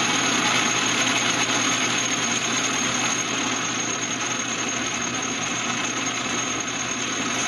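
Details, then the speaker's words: Atlas 12 lathe running with the change-gear train (banjo) engaged, its gears worn by chips, abrasive dust and grease: a dry, fast ratcheting gear clatter over the motor hum at constant speed, gear train noise. "just so you can hear what it sounds like, you know, with and without the gear train engaged, so you can just, you know, see what it's like."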